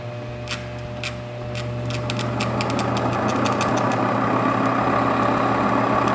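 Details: Faceting machine cutting Madeira citrine on a 340 grit lap with heavy water drip: steady low motor hum with light irregular drip ticks; lap spinning smoothly with no rubbing or wobble.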